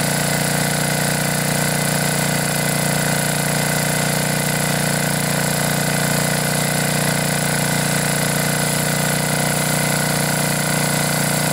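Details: Briggs & Stratton 10 hp single-cylinder generator engine after blown head gasket repair, head bolts torqued to 165 in-lb, choke held open by finger: steady even drone at constant speed, no misses, knocks or blow-by puffs; normal running.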